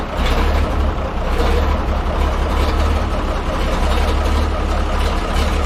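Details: 1355 diesel tractor, cranked on a battery just fitted, expecting to need line bleeding, starts easily and settles into a steady, even low clatter; return line not in tank, spewing diesel. Normal start and idle.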